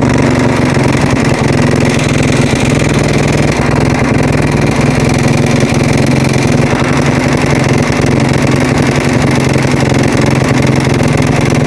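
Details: Husaberg single-cylinder engine at a steady idle with an irregular, rapid clatter riding over it, an abnormal noise whose source isn't pinned down.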